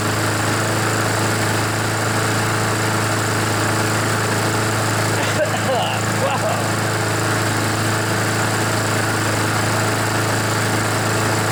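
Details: Honda GCV engine on a Poulan mower that wouldn't start, smoked and had an oil-covered air filter; still not fully warmed, needing some choke. Steady, even drone with no stumbling or surging; running fine as the oil burns off.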